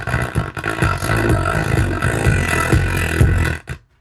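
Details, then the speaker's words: Vintage BGW Model 100 power amp, one channel on test with voltage being raised: loud but harsh, buzzy, ragged output with a pulsing low end and no DC offset; owner suspects a shorted output device, as distortion lessens at higher volume. "I'm about willing to bet one of these outputs is has shorted and uh I'm only getting part of the signal and the more I turn the volume up it seems like the more bias it has because the I get less and less Distortion"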